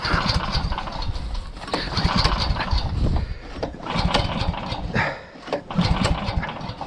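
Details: Uragan snowmobile, first start of the winter season outdoors in snow, about 5 litres of fuel in the tank, fuel tap open and choke on: uneven pull-start chugs in bursts that never catch into an idle; the cold engine turns over but won't fire.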